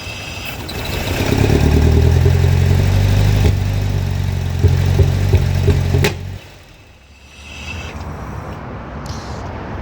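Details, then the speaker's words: Engine with K-Jetronic injection, hot-running problem: revs up to a rough, uneven drone, then falls back sluggishly to a weak idle; throttle response getting worse, owner expects it to stall once warm. "Сейчас он ещё хуже стал реагировать почему-то. Не понимаю."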